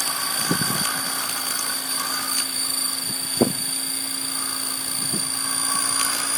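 Steady high rotor whine with uneven rattly buzzes and sharp knocks breaking through on hover, a vibration problem whose cause is unclear.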